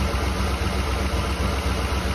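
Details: 2008 Ford 5.4 3V V8 with a big exhaust leak ahead of the catalytic converter: low, heavy idle with an uneven chug under a steady drone; one cylinder dead and not firing, exhaust gasket needs replacing, no timing chain noise heard.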